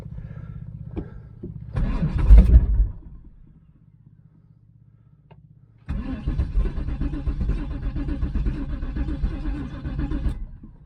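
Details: 1996 Pontiac Trans Am LT1 5.7 V8 non-runner after fuel pump temporarily wired up and new fuel filter fitted; starter spins engine at steady rhythm about five seconds, never fires; cranks, no start, fuel delivery unconfirmed.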